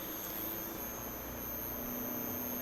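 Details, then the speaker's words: Repaired inverter AC outdoor PCB (earlier short circuit near the relay damaged the microcontroller and IGBT section), run with a heat sink fitted: the indoor fan, outdoor fan and compressor start and run at slow initial speed with a soft, steady hum and faint whine; this is normal. "यह indoor fan motor on हो गई। और यह देखिए outdoor fan motor start हुई और यह compressor भी स्टार्ट हो गया।"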